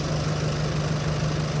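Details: Chevrolet Colorado engine rebuilt after broken piston rings caused blow-by, first start after overhaul with oil and coolant filled: steady low even hum with no knocks, misses or ticking; idling smoothly and healthy.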